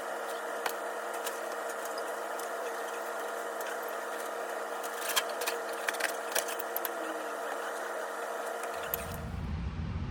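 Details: Splendide stackable dryer after replacing a broken motor and refitting belt: steady, even motor hum with constant pitch and light tumbling ticks; runs smoothly, then switches off cleanly.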